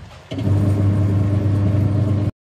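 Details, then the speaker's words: Washing machine after repairing a gearbox that had run rough and noisy, reassembled with the old pulley: the motor and drum spin up to a steady, smooth hum with no grinding or knocking. "Hai dan alhamdulillah nampaknya suaranya kembali halus tanpa ada suara seperti tadi ya woy"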